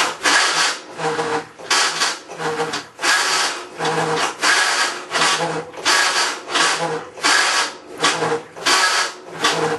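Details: Maytag Centennial Commercial Technology washer, about 14 months old, overloaded for demo, agitating rinse water, recorded ~5 feet away: loud harsh rasping grind bursts with each agitator stroke, short quiet gaps between; grinding during agitation, cause unconfirmed.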